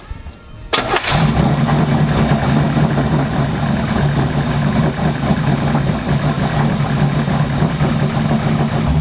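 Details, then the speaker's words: K20 truck, initial cold start-up after fitting a fan assembly, wiring and a new coolant reservoir: it fires after a quick crank and holds an even, deep idle with no ticking or knocking over the exhaust rumble. Normal. "Well, we're gonna go ahead and do the initial start up here and see what this thing sounds like, see what it can do."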